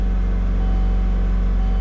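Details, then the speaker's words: 2005 Kia Sportage, still kind of cold, apparently new throttle body, TPS and idle control codes, TPS/idle control connectors had been swapped: steady fast loud idle drone that won't settle, rpm very high. Throttle plate position or TPS suspected; not vacuum leak. "it's still kind of cold i let it run for a couple minutes about 30 minutes ago rpms are really really high"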